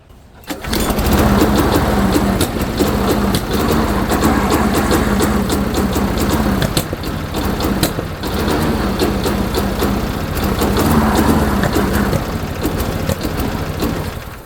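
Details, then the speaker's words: Possibly late-90s Murray-built Dynamark Plus 21-inch mower, running on fuel left in the line with the tank off: fires, then a lumpy, stumbling beat that sags midway, running rich; owner suspects a clogged air filter or too much vacuum, unconfirmed. "Maybe the air filter is too clogged. Why suddenly running so rich? That's weird."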